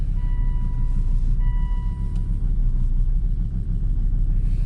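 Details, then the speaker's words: Volvo 2.4 D5 Euro 3 diesel, cold start at about -3 °C after a glow plug change, window open: it fires on the first crank and settles into a steady, even low idle with no knocking or misfire. "There we go. Here we go, it fires up. It's cold tonight."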